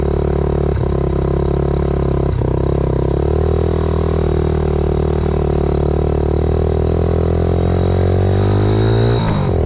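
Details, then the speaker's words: 2000 Yamaha TTR90 single-cylinder dirt bike after repairs (carburetor refitted, chain lubed), started on one kick, outdoors: even steady low idle thump with no misses or stumbles; runs well, though chain may be slightly too tight. "that seems like it's running pretty good I don't think that turned out too bad chain might be little bit too tight but I got it all lubed up and sitting here idling pretty good"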